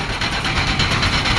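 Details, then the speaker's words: Grain bin auger, 2 hp motor, 6-inch auger at 35 degrees, running empty after bin remodel: even motor hum with fast light rattling tick from the flighting, steady and not loud, nothing labouring; normal running. "so let's go try it see what happens pull the lever well it spins we can hear it"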